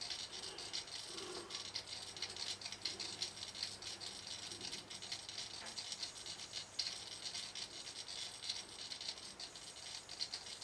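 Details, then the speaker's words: Garrard SP25 Mk4 turntable: fast, constant tinny rattle over the motor's steady running; a part has come off the bottom of the motor and needs gluing back. "That's our motor needs sorting. So, we need to find the glue. That's the thing that's come off the bottom of the motor causing that."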